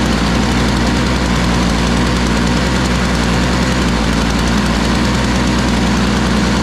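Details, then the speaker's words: Toro Powerlite single-stage snow blower, model 381182, 98cc two-stroke, just started, old primer bulb: loud, lumpy, uneven putter; owner thinks it needs warm-up time, not running too badly. Rough running. "Looks to me like it needs some warm-up time, but it wasn't actually running too bad."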